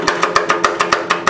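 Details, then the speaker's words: 32-year-old Craftsman lawn tractor with 11 HP Briggs engine, fully charged battery and tight cables: sharp, even clicks six or seven a second with no cranking when trying to start; owner suspects a failing starter solenoid. "when we trying to start it seems like the Sol No Sol noid is going bad hear it"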